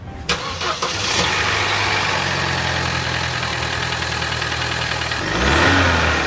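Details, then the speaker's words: Opel Zafira turbo with GM A14NET 1.4 engine: light uneven tapping at idle and slight excess turbo whistle as it revs; engine knocked when hot with low compression on two cylinders, turbo already repaired. "Я сейчас слышу только свист турбины который лишний немножко но турбина здесь уже ремонтировать есть вот сейчас начинают вот чуть-чуть постукивать"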